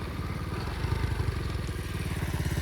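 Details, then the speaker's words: 2004 Flywing pit bike single-cylinder at idle: buzzy metallic rattle pulsing in time with the chugging, felt by hand on the exhaust pipe's protective cover; loose heat shield vibrating. "That is where the vibrator noise is. Is that the not the um coal on it is making that noise. I can tell because you can pull your hand on it when you making it making that noise and you feel it"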